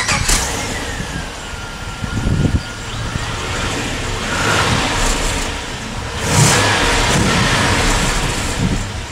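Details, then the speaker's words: Holden VX SS Commodore, Gen 3 V8 (2001), started and blipped on a new exhaust with an added rear "hot dog" muffler fitted to pass roadworthy. A deep but subdued burble with no rasp or drone. The muffler makes it sound too polite. "I'm sorry, but that's not what a V8 is supposed to sound like. No way."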